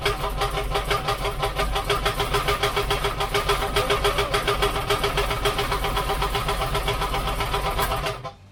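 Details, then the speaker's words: 1972 Chevrolet C10 shop truck V8, first start after rewiring, just fired: fast uneven metallic chatter over exhaust, first thought an exhaust leak; flexplate rubbing on the inspection cover. "i know if you can hear that i don't know what that is i like it i mean i mean sounds like an exhaust leak but it sounds way worse"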